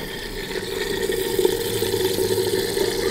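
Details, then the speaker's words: BMW F80 M3 coolant refresh after vacuum fill, ignition on but engine not started, heater at maximum, fan lowest, accelerator floored six seconds to trigger low-temp bleed; steady watery whir of electric coolant pump running. "and this will trigger the low temp uh reservoir bleeding procedure you can hear the pump going down here somewhere"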